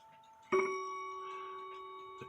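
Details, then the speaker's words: Westminster chime clock, first hammer lifted: single blow gives a flat, dead ring lacking vibrant bloom; that hammer is misadjusted and needs bending with a wire bender. "that didn't sound quite right to me it sounded kind of dead didn't have that vibrant sound on the very first Hammer that I lifted up"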